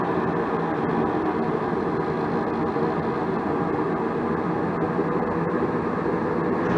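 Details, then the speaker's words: 80% single-stage Goodman natural gas furnace whose gas valve outlet pressure was only 0.06 inches of water column. Igniter lights after the valve is turned about two turns in, giving a low flame that firms up as pressure is raised toward 3.3 inches. Low gas pressure. "there goes the igniter so let's see if we get more than .06 inches of water column now oh there we go we got a low low flame so maybe this is a new gas valve"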